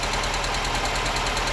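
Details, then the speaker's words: Honda Civic EK hatch at idle: loud gritty rattle changing when the clutch is pressed, attributed to the throw-out bearing, with light quick valve ticking on top; owner worries about the valves, cause unconfirmed. "great so the vowels are ticking and you can hear the throw out bearing"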